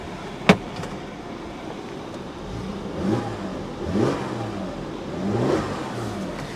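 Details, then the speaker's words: Salvage-auction RAM 1500, relatively low miles: three clean revs rising and falling smoothly with no knocks, misses or rattles; healthy engine revving. "She sounds healthy."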